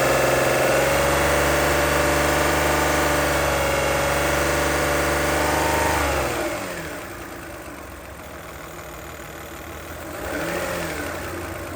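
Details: 2008 Toyota Highlander 3.5L V6 2GR-FE, warm: loud, fast, even ticking at idle, about four per second, quieter as revs drop; it only happens once the engine is warmed up. Cause unknown.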